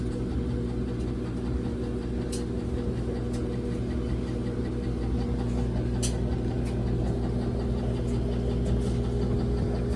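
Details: LG WT1101CW washing machine during the spin cycle: steady motor hum with shaking and occasional sharp knocks breaking through, cause unclear; knocking during spin.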